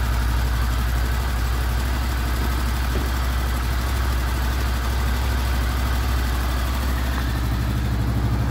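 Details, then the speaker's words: Honda VFR800 VTEC V4 at 58,200 on the clock, first start after cam chain replacement with sprockets reused: deep, smooth burble at idle with no chain rattle or knock, normal idle. "Так у нас первый запуск после замены ГРМ"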